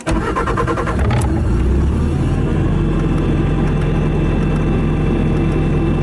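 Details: 2017 Bobcat T650 rubber-track skid steer loader, 2195 hours, keyless start from the cab: a brief crank catches quickly and settles into an even, deep diesel idle with no knocks or misses, and no active warnings or error codes. A healthy start.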